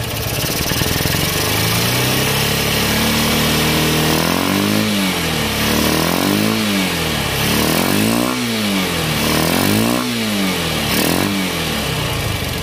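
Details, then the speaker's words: Honda CB Unicorn 160 single-cylinder after the carburettor assembly was replaced, because the carburettor piston pin had broken and the piston was damaged. Repeated blips climb and fall cleanly with no popping or stumbling. Fuelling and revving are now normal. "इसका जो performance है दोस्तों carbon का बहुत ही अच्छा देखने को मिल रहा है आपको देख सकते हैं"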